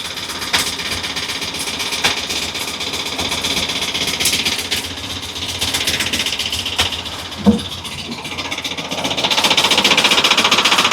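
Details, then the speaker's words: 2013 Ford E450 6.8 V10, just rebuilt elsewhere, misfires on cylinders 1, 6 and 10, long crank: rough, uneven idle with a fast metallic ratchet-like clatter; a sticking exhaust valve is suspected; valvetrain rattle with misfire. "el ruido de este motor pueden escuchar parece matraca cuando se queda cerrada Ah se queda cerrada la válvula de Misión"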